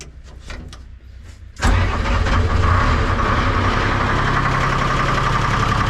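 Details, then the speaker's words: Lull 353 telehandler with Detroit diesel that previously would only click, after new battery box and cables: short strong crank, then the diesel catches at once and settles into a steady, even run with no stumbling. "so let's see if it starts. Cranks like a bastard."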